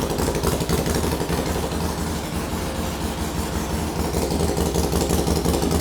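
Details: Harley Sportster with S&S Super E carb, first start after rebuild, oil added, valves adjusted and carb set per S&S handbook: loping, uneven V-twin beat at steady idle, about three pulses a second, no knocks or rattles; oil return confirmed, sounds healthy.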